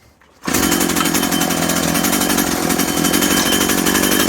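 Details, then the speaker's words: Husqvarna/McCulloch Tivoli 65 two-stroke hedge trimmer, about 17 years old, idle 15 years, after replacing perished fuel lines; starts abruptly and holds a steady, high buzz with no misfires or surging, running normally. "Y ahora nada, vamos a probar que efectivamente va."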